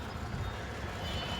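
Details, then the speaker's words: 2014 Toyota Camry on pre-purchase inspection, engine running: steady hum with a faint rotating whir, not grinding, from a water pump bearing starting to go out; water pump replacement and cooling system flush advised. "It's not grinding, but you can just hear it rotating because the bearing is starting to go out."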